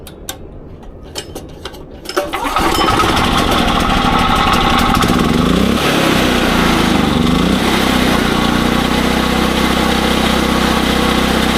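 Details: SDMO 5000W generator with a Briggs & Stratton engine (about 18 hp), after restoration, load test with about a 1500 W heater and a light: a few pulls, catches, then a steady, even drone holding speed under load; normal.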